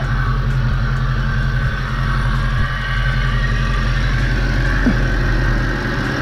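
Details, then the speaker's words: 1998–2004 Mustang GT V8 with high energy cam, after P0357 code repair involving coil packs: even, lumpy idle with mild cam rumble, no popping or skipped beats; normal idle, earlier misfire gone. "like I said, has a high energy cam in it, so it has a little rumble to it."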